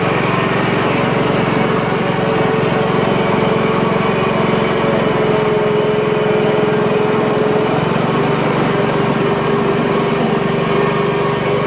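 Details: Honda Harmony HRM215 SX self-propelled mower, GXV140 single-cylinder engine, cracked deck and stripped rear drive gears; steady, even drone at full throttle with no misses or surging: normal running.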